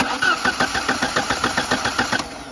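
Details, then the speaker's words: Audi 80 1.8 mono, crank-no-start, battery replaced: the starter churns at about seven even pulses a second for two seconds with no firing. No spark, with the plug lead's terminal contact sitting low. "Кеттік, бисмилля, стартер. Так, бізде искра көрінбейді."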